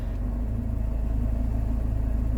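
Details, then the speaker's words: CVT gearbox bearing rumble in a car that had been losing power after a full engine service and new coil pack: deep, steady rumble with fast low flutter, heard in reverse and neutral, worse than before; gearbox suspected as the fault. "I can hear bearing rumbling I can hear a lot of things going on here"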